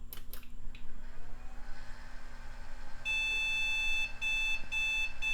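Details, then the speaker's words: Early-2000s Compaq/HP translucent bubble PC on first power-on after fresh thermal paste and a new CMOS battery: a steady hum, then short high beeps about twice a second, failing POST. The RAM edge connector is suspected; it later posted after a power cycle. "oh it's angry let's try cleaning up the edge connector on that Ram stick"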